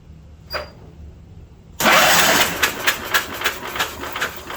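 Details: 1972 Wheel Horse Raider 12, sat about 15 years, battery just reinstalled: silence, a faint click, then the starter spins the engine steadily with even compression pulses. Cranking is healthy.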